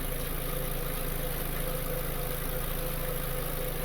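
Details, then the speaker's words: 2015 VW Jetta 2.0 L on first start after an engine replacement: a light, regular tick of about four per second at steady idle, always from one side of the valve cover; owner hopes it clears up. "there is a slight take to it hopefully it goes away i'll go and show it to you i don't know if you can hear it but it's definitely a take it's always coming from this side of the valve cover"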